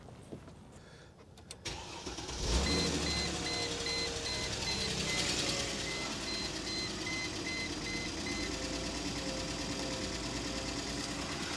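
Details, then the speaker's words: 2005 Mercedes ML350 (W163) bought cheap with no oil: on start-up a thin, steady high whine rides over the idle from the power steering pump. "okay let's see if we can get it to start and see if we can solve the power steering whne she's a whiny little"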